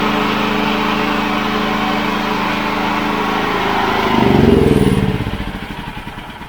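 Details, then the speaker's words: Honda GX390-clone Wolf 5kVA petrol generator, left outside for years as a non-runner, now serviced with a cheap kit: a part from the kit replaced, air filter cleaned and refitted. Steady, even single-cylinder beat at governed speed, easing down at shutdown; runs smoothly. "Put the air filter assembly on, gave the air filter a clean, or gave the whole thing a bit of a superficial clean really. So yeah, now it runs pretty sweet, so I'll just show you."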